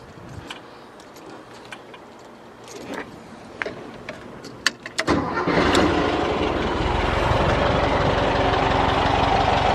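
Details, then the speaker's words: 1973 Volkswagen Thing with new spark plugs, wires, filters, exhaust and distributor: catches after about five seconds of cranking, then settles into a steady, even idle with no misfires. Normal idle. "Sounds really like it should. It's really good."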